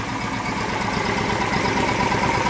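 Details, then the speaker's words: Small engine run after a car-wax crankcase lubrication test, now refilled with a little regular oil; compression very poor, wax suspected hardened in rings and valves. Slow, steady low-speed idle, as low as it goes, even beat, no knock; normal low idle. "So that's on the low speed idle. That's as low as she goes."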